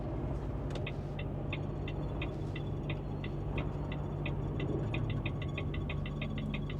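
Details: Volvo truck cab: crisp even turn-signal clicks over steady cab drone, speeding up toward the end. The signals work, but an electronic fault triggers a warning that was never found; the AC fan also whistles.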